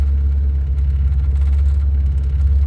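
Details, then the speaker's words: Car started after about 3 months sitting through winter, heard from inside the car: steady, deep, even rumble, quiet, no knocks or misses; running well. "See, it's fine now. It's all warmed up, nice and quiet. Runs good."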